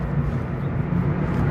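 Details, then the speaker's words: 2008 Honda Civic at light cruise, about 1200 rpm at 30 mph, after fluid changes: a low, even rumble with no knocks, surges or drone over road noise, running smoothly. "smooth this car runs we're at about 12 1200 RPM at 30."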